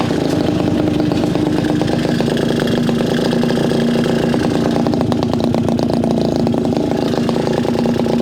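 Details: Garelli SSXL moped two-stroke, timing rough-set with limited advance, poor carburetor: buzzy idle that stumbles and surges as the throttle is blipped, never settling; running rough and unhappy, cause not confirmed.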